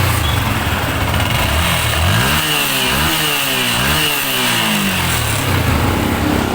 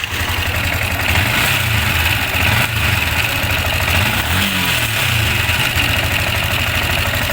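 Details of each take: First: Sniper 155 single-cylinder motorcycle after repair (cam gear replaced, slack timing corrected; earlier camshaft and clutch damper swaps elsewhere failed to cure the noise): even idle, smooth throttle blip, settles back; normal now. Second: Sniper 155 single idling, still noisy after another shop replaced the cam bearing and clutch damper: fast metallic rattle and ticking over the exhaust beat; manual tensioner adjuster almost fully sunk, pointing to a stretched timing chain; valve clearance also to be checked.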